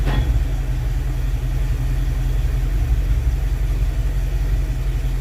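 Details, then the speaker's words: Freshly rebuilt Dodge 318 Poly (semi-hemi) V8, cold after a few hours, started without choke: deep, steady rumble with an even beat and no misses, knocks or ticks; smooth, healthy idle. "now that this engine's been cooled for a few hours I just went and had dinner and did all that kind of stuff and it's cold I didn't choke it nothing just boom fired right up"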